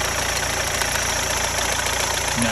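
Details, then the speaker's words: Rover 75 diesel after DIY crank pulley replacement, briefly run before belts refitted: steady even diesel clatter at idle with smooth settled tick, no knocks or misses; sounds normal. "it does sound okay that does look like he's running normally from what I know anyway"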